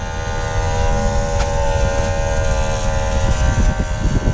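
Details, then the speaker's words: Paccar X15 truck after fuel filter change, key on: steady electric buzz and constant whine of the fuel primer pump running normally, priming the fuel system for roughly 45 seconds to a minute per cycle. "prime in the fuel system and you will leave the key on until it stops running I think it runs for 45 seconds a minute something like that"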